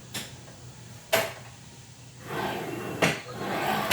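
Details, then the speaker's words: Ryobi PBLMS01B 18V brushless slide compound miter saw, replacement unit: quiet even glides of the head along the rails, light bump at each end, no scraping or catching; slide smooth, unlike the defective unit's grinding stiff spot. "But again, the pain is still in position. Let's remove the"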